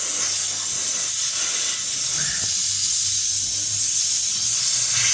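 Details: Flat tire, car on a jack stand after airing up with compressor: steady sharp hiss of air leaking from the puncture where a long screw was pulled out; it wasn't leaking much with the nail in; tire air leak before plugging.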